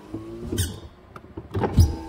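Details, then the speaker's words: 2007 Honda Accord SE with a failed master window switch: the driver's window runs auto up normally with a steady low motor hum between clicks and thumps, while the other three windows don't work from any switch. "you can see driver side window works auto up"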